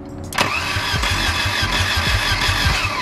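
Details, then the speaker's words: 1978 Volvo 242, not run for two years, on starting spray: catches with a rough chuffing burst, stumbles a few beats and dies; has spark but no fuel, no fuel pump heard and a fuse missing. "That's insane. Like, it's got no fuel. So it definitely has no fuel. All right, well, but we know that it's got spark. It went for a little bit."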